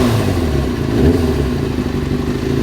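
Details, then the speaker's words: Four-cylinder carbureted bike reassembled after fixing rich running (previously bogged and stalled when warm at tickover): smooth settled tickover holding steady without dipping or stumbling, steadiest idle it has ever had; normal idle. "got the most assured idol that it's had ever by a long way"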